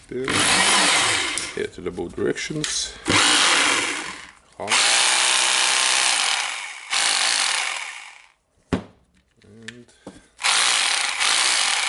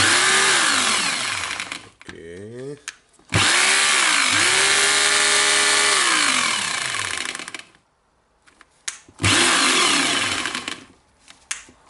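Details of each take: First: Hitachi/Koki DH28PCY rotary hammer after overhaul, first test runs before fitting tool holder parts: motor spins up to a steady, clean whine in repeated short runs, even speed, no grinding or rattle; running normally. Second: Hitachi/Koki DH28PCY rotary hammer before overhaul, bit inserted: runs up and hammers in sharp bursts but the bit is not retained; worn tool holder needs replacing.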